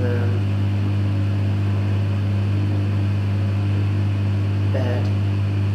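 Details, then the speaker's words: Heavily used Electrolux EWF 16589 W washing machine spinning on the 60 Cotton program: a loud, steady low hum with rough undertones; owner suspects both the bearings and the pump are failing. "I guess, honestly, that it's not just the bearings that are dead in this machine, it's also the pump."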